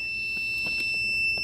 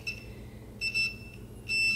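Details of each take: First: Adjustable normally closed pressure switch (QPM11-NC) for a boost cut, tested on a homemade boost leak tester with a meter: steady high-pitched continuity tone before pressure is applied; switch closed, normal continuity beep. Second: Adjustable normally closed pressure switch for a boost cut, tested on a homemade boost leak tester at about 20 psi: as pressure bleeds off, buzzer cuts in and out irregularly about once a second; switch slow and intermittent to reclose.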